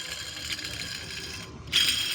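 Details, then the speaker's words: Mitsubishi L300 engine noisy from startup, louder when revved, rattling; loose adjuster tensioner pulley spun gives a dry, gritty rattling whir of a worn bearing: rough tensioner pulley bearing. "r pagstart pa lang maingay na at pag binirit mo lalong umiingay parang kumakalansing so ito ang kanyang adjuster tensioner p"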